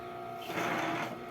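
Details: Bias-tape cutting machine, bought used and stiff to turn, after oiling the bearing: a light, even whir with a couple of steady tones, no knocking or binding; the mechanism turns freely and smoothly, normal running.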